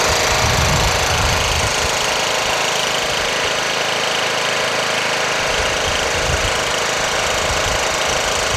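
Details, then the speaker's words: Toro Wheel Horse 1238XL lawn tractor after carburetor replacement, gas tank cleaning and jumping the solenoid: small single engine runs steady with busy even patter, no misfire or surging; started right up, running normally. "man just change that carburetor started right up"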